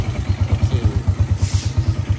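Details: Honda EX5 idling after service in which the cam timing marks were corrected to cure strong tappet noise. Even, deep thumping at about eight beats a second, no tapping, quiet tappets, healthy single-cylinder idle.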